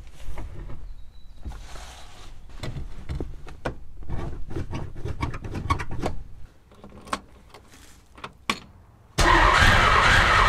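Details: 1961 Ford Falcon, muffler rusted off and exhaust manifold barely hanging onto cylinder head, before repair: uneven cranking clatter, then catches with sudden harsh, very loud raw exhaust roar from manifold leak.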